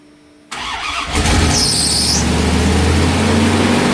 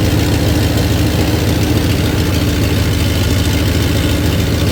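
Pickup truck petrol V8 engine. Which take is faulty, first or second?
first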